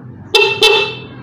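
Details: Motorcycle horn after fix, rubber piece moved to another of four holes: two short, loud, clear honks with bright steady tone, no rasp or weakness; healthy and strong compared with earlier snail-like sound.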